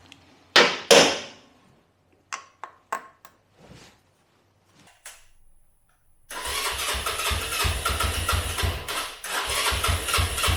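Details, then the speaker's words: Herald 125 motorcycle single after fixing: scattered clunks and a pause, then fires and settles to a steady even beat; was not starting due to mixture screw 5.5 turns out, running rich, and a carbon-fouled spark plug; idle and mixture adjusted. "I've done a bit of fettling on it I've fitted the throttle um adjusted the idle and adjusted the mixer screw a little bit and now it runs much better"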